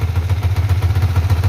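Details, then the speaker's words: Yamaha Vixion NVL after a fix restored oil flow to the cylinder head: the head ticking noise is gone, leaving even exhaust pulses at a slightly fast idle. Smoke is from spilled oil burning off. "Oke Alhamdulillah untuk suara kemeleteknya sudah hilang Lur"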